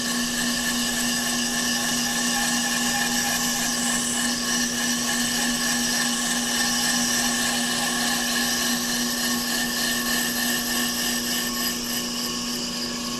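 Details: Off-the-car brake lathe finish cut on a hubless brake rotor, rotor feed on, chip deflector/silencer fitted, a couple thousandths cut: constant even hum with a steady mid-pitched cutting tone, no chatter or squeal; normal rotor cutting.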